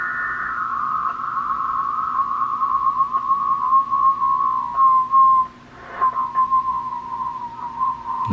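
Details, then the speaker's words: Uniden MB8719 SSB CB transmit offset adjustment, monitored on a second SSB radio: steady whistle near 1 kHz drifting in pitch as the offset is tuned past zero beat, transmitter off frequency. "That's too far. We'll go back to 0 beat."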